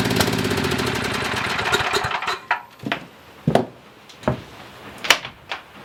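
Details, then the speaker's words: Coleman Maxa 5000 ER generator after carburetor cleaning, choke possibly installed upside down: runs, then sags into a few slow, widely spaced thumps before dying; carburetor fuel starvation, a missed small hole later found in the needle; carburetor eventually replaced. "all right guys so I've been struggling trying to get this thing to even idle correctly it'll idle for like a minute and then it starts bogging down and just shuts off"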